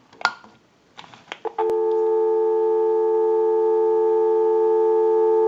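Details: Repaired and converted wooden JYDSK wall crank telephone, final checkout on line out: a few handling clicks, then clean steady two-note dial tone without crackle or dropouts; phone line works properly.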